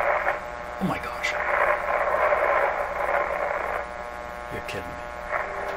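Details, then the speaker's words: 1925 Magnavox Type D TRF radio (all RF and AF stages, no IF), turned right up: station voices and music come through clearly over a faint steady hum; the old set is receiving and playing properly. "there's nothing coming out here let's turn this right up oh that sounds like a radio [Applause]"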